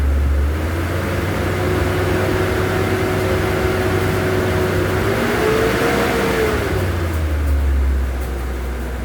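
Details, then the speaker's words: Mitsubishi 4G63 engine held at 2,000 rpm after the faulty water temperature sensor was fixed; it had misfired and shaken at light throttle. It now gives a smooth, even, stable hum with no shaking or misses. "Ngayon red natin 2,000. Ayan stable na makina."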